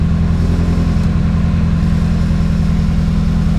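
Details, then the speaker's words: 2006 Chevy Cobalt SS after replacing all coil packs (previously not running on all cylinders, stalling at stops), about 110°F Phoenix: steady even idle with smooth low pulse, no misses or hunting, running way better. "Definitely running way better."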